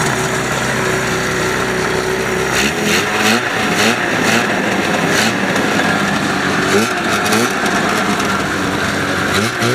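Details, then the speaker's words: Ski-Doo Formula Plus 583 two-stroke snowmobile, sat over 5 years, fed from a pressurized jerry can: crisp buzz climbing and dropping cleanly through several blips, no misfire or stumble; normal revving. "Got the old jerry can hooked up. Runs pretty good. We didn't even do anything. We just hooked the gas line up and pressurized it."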